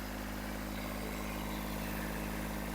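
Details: Kubota B7001 diesel tractor at idle after replacing the failed alternator and radiator hoses, about 10 minutes warm; quiet, even low drone with no knocks or misses, no more noises, temperature fine, charging normally.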